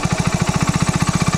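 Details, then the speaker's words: Hero Splendor single-cylinder after throttle body cleaning, idle screw turned in: even, quick thumping around thirteen beats a second; idle speed raised too high, to be lowered until the bike just stays running. "आप दे सकते हो हमारी जो race है वो बढ़ जाती है और रेस है वो बढ़ चुकी है"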